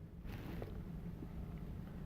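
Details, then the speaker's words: Air-brake truck during a CDL air brake leak down test with the brakes held for one minute: a low even rumble and a little wind, no hiss anywhere, gauge barely moving, so the air system holds with no leaks. "So far, everything looks good. There are no leaks that I can hear, and my gauge has not really moved."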